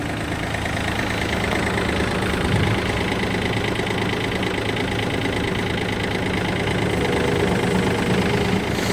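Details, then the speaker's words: Yanmar F180 three-cylinder 18 hp 4WD Japanese mini tractor diesel, 122 engine hours, started easily; steady even diesel clatter at idle, no misses, knocks or hunting; healthy, no leaks under hood. "Запустился без каких-либо проблем. Работает ровно."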